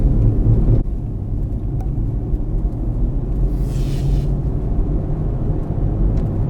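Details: Car driving at road speed: low steady hum and growl under road rumble; bad wheel bearing located to the rear on test drive, side undetermined.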